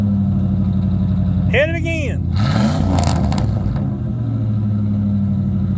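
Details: '96 Ford F150 V8, 239,000 miles, blipped up and down a few times while one catalytic converter is plugged: deep loud exhaust with popping on the overrun, engine pulls cleanly, no smoke.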